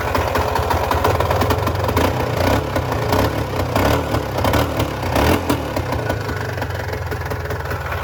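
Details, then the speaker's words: Polaris Trail Boss 350, not started for a month or two: quick catch, steady slightly uneven single-cylinder putter settling into idle, nothing odd; starts and idles healthy. "started listen to that it's impressive"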